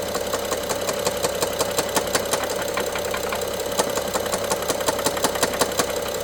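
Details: BMW F07 with N55 engine: sharp regular ticking knock and rattle, about three per second over steady idle, loudest by cylinder 1 injector and mid-top near an electrical connector; worse with more throttle, sometimes stops for 3 seconds; timing chain inspected, looks OK; cause unknown.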